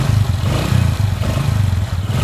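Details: Honda Supra X 125 after repair of a rough knocking noise from the middle of the engine, attributed to a worn connecting rod. Deep, even exhaust pulses under short throttle blips, no knock or rattle; runs smooth and healthy.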